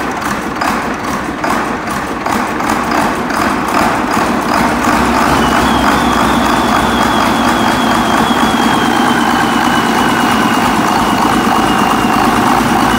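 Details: Case 2366 with Cummins 6TA-830 diesel engine started after repair: steady, even idle with a smooth regular beat, no knocks or rattles; normal running.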